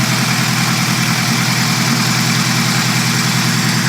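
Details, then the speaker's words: Chevette with swapped Keihin CV motorcycle carbs, new idle and main jets, runner clamps resealed, dead cold start: settles into a steady, even idle with smooth pulse, no misses, slightly wobbly; normal idle. "That's running way better. Oh, there we go."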